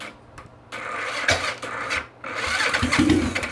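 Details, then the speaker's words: Early-1980s Yamaha XS400 cafe racer: engine cranked without trying to start, two short bursts of steady, even starter churning, not catching; cranking sounds healthy. "so that's cranking"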